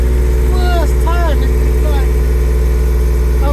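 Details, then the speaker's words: Honda S2000, parked unstarted over 6 years, first start after fresh fuel and service: steady, even low idle with smooth beat and no timing-chain ticking or rattle; engine sounds healthy. "I'm so ecstatic, man. It sounds so good as well. I know they suffer from chains and stuff, but that sounds so so sweet."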